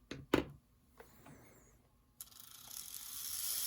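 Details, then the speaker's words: Bowser PRR M1 4-8-2 HO steam kit with DC71 motor, powered through the drawbar and chassis after assembly: a few clicks, then a light whir climbs smoothly and stays even. The motor and gears run normally. "and that is working just fine"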